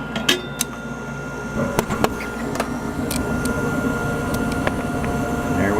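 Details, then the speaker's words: American Standard gas furnace: inducer running, hot surface igniter heats, gas valve clicks, then soft rising whoosh over inducer hum as burners light; normal burner ignition. "here's the inducer looks like our hsi is getting ready to kick you should hear the click click the gas valve"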